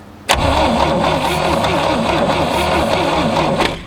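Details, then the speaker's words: 1967 GMC C20 with a 305 big-block V6, sitting at least 7 years, with a new coil fitted: about three seconds of steady rhythmic cranking with no firing, no spark, traced to badly rough distributor points. "nope looks like we need in that distributor folks well we got the distributor cap off and those points are rough rough rough"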